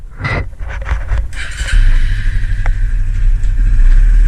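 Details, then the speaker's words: Suzuki LTZ250 Sport quad, carburetted single: after some handling clatter it fires and settles into an even, low thumping run with no odd knocks; runs good. "So probably going to need new master cylinds a couple times and trashed out, but it does run good."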